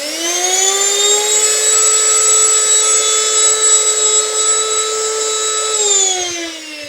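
A high, rough whine rises to speed, holds, then drops away at switch-off; broken blades on the vacuum's motor turbine.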